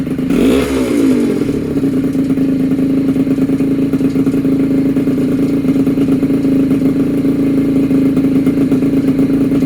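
Small two-stroke fires up with a quick rev, then settles into a steady, crisp buzzing run with even note throughout.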